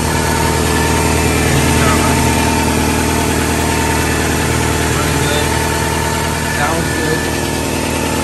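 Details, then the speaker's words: 1997 Toyota Camry idling after an oil change, having sat for years and run on old fuel still in the tank; timing belt done at 227: smooth, even idle, steady low rumble, no knocks or ticks; engine sounds healthy. "leave it run for a minute let's check everything make sure everything's running good he's running good on it"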